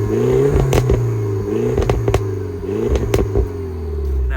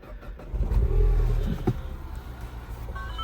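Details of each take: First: Barn-find car on 97k, revved with the camera set near the exhaust: sharp blips with a loud, raspy bark that is a bit too loud and not quite as it should be, though it sounds nice. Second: Mouldy barn-find Citroen on 97k, clutch-started, possibly with an aftermarket exhaust: the engine catches after a brief crank and settles into a quiet, even idle, with a few odd beeps possibly from an aftermarket Bluetooth unit; healthy start.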